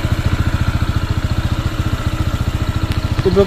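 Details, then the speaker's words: New Honda PCX 160, before break-in, that nearly stalls at idle; the belt feels loose. An even idle thump, about 3.5 beats a second, with a loose clanking rattle; the source is not found, and the owner suspects it needs break-in. "Malapit na mamatay Ayan na may makalansing eh oh"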